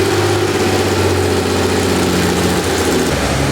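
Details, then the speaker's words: RWB Porsche 964 Turbo with a built engine on a new Haltech ECU, running after startup; idle has a lumpy, uneven pulse with a dropped beat, cylinder six not firing per the EGTs; coil or lead suspected. "Now we're down on 6. Yeah, it's not firing 6, is it? Doesn't look like it. Okay, just trying to diagnose a 1-cylinder down"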